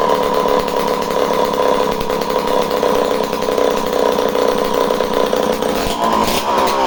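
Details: Homelite C51 chainsaw, returned as non-running, after refuelling with needles at 3/4-turn base factory settings and spark confirmed: steady high buzz held at an even speed, no stumbling or misfire; runs cleanly.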